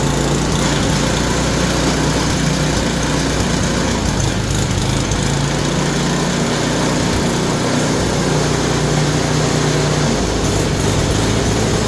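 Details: Yard Machine snowblower small single-cylinder engine, formerly locked up, converted to pull start after adjustment (flywheel teeth suspected ground down): steady, even idle with constant low putter, no misses or surging; runs fine.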